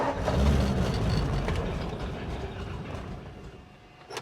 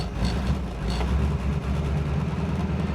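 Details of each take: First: 1947 Ford, carburetor primed with gas: starter churns in steady pulses about four a second, stops and retries, never fires; crank no start, cause suspected not confirmed. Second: 1947 Ford just started after 13–14 months sitting on old gas, cold: low steady rumble settles in after it catches and keeps running evenly; normal running.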